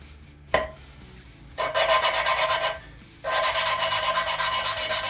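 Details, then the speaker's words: Lapping new valves into a 25-year-old small-block Ford GT-40P Windsor cylinder head with Permatex grinding compound under downward pressure: a rough rasping scrub in quick back-and-forth bursts, moving from heavy grinding toward a higher, finer tone as the seat laps in. "And if you listen, you will hear it start to go from like heavy grinding to a lot higher pitch fine tone."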